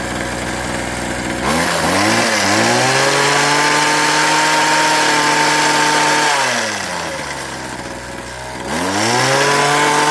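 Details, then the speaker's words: Craftsman 21cc Bushwacker two-stroke hedge trimmer, sitting nearly a year, started with choke then half choke: idles steadily, winds cleanly to a high even buzz and drops back; a few air bubbles in fuel. Normal idle and revving. "There is a couple air bubbles in the fuel, but I don't think it should have any real effect on it, but seems like it's running pretty good."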